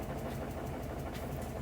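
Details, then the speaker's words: Samsung top-load washer that would not wash or spin, test-run on dry spin without water: steady low rumble with rhythmic flutter from the drive belt, which is off-seat, riding on one side of the pulley edge, not yet seated. "แต่ที่ดังที่ดังเสียงที่ดังคือดังจากสายพานนะครับอือยังไม่เข้าที่นะครับ"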